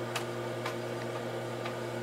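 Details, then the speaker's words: Heathkit H-47 8-inch floppy drive on Heathkit H8, formatting double-density disk: sharp head-step ticks about every half second over steady motor hum as it seeks through all tracks; drive working normally. "double density yep and you can hear it seeking it's going to seek through all the tracks"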